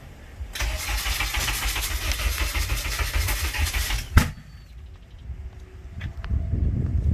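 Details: K24A-swapped DC2 Integra on E85, first-ever start: about three and a half seconds of steady starter whirring with no catch, then stops; crank-no-start, suspected from swapped cam/TDC sensor plugs.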